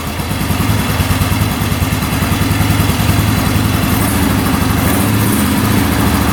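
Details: 2009 Yamaha Grizzly 550 EFI with power steering, which previously hung at high revs: it now revs cleanly, the throttle rises and settles back smoothly with no hang-up or over-revving, running healthy with the air box still off.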